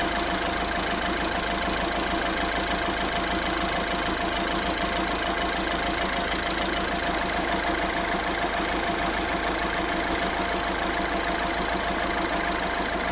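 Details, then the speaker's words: Diesel at idle with a rough rattling chatter about 200 per minute; tensioners were left in when the timing chain was replaced, and the pulleys were confirmed as the fault. "وهذا الصوت اللي عنده انا موجود بصفه عامه تلقاها موجود يعني شدادات وكذا احنا ما غيرهمش الا وقت يعملوا صوت"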